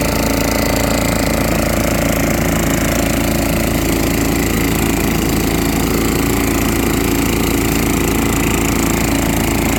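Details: Junkyard small single-cylinder engine on fresh gas after difficult starting, running normally: a small single-cylinder chatters at a steady fast idle, even and unbroken throughout.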